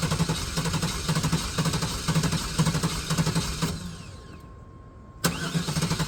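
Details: Neglected OBS GMC/Chevy V8 truck just started after long storage on old gas: rough, lumpy idle with irregular pulses about twice a second, stumbling and nearly dying before catching again; it is not running on all eight cylinders.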